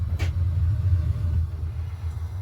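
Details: New water heater first firing after filling: soft piezo igniter tick lighting the pilot, then after about 30 seconds a low steady rumbling roar as the burner fires evenly; normal operation.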